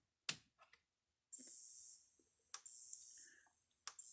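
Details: Maxim M5-50 electric fence energizer after repair and adjustment. Sharp single clicks about every 1.3 seconds over a faint hiss, pulsing as it should.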